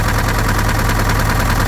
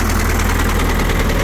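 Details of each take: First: An early-1970s Case 580B backhoe diesel idles roughly with an uneven chuffing pulse of heavy crankcase blow-by. It is slightly better after an added treatment but still not good, and an in-frame rebuild is planned. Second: Early-1970s Case 580B backhoe mechanical diesel, cold start after sitting a couple of weeks: catches at once and settles into a steady, even low idle clatter; heavy blow-by noted from the tube; normal cold start idle.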